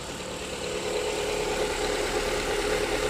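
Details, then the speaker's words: Proton Preve 1.6 CFE, previously blacked out (dead) from a faulty BCM (body control module), now running after BCM replacement and push-start via brake; steady, even idle with smooth mid-pitched hum, no knocks or misses. "Jadi sekarang kereta ada hidup. Coba kameramen pergi depan tengok enjin, betulkah hidup?"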